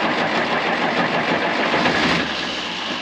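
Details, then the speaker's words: 1960 International 460 tractor that sat for many years, just after its first start: steady, even clatter with no knock or misfire, running smoothly. A normal revival. "see how it's not knock knock but it's gonna be like the fastest Revival ever"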